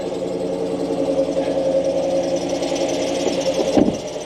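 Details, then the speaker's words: 2013 Ford F150 at idle: steady high-pitched squeal at constant pitch, getting worse, first thought to be an idler pulley; water pump found loose, worn water pump bearing suspected, pump being replaced. "So, making an ugly noise. And it's getting worse, obviously. So, I know you can hear that. Let me shut it back off again. Pretty gnarly sounding, Okay. So I started poking and prodding in here. I think it's that bearing on that water pump is going bad on me."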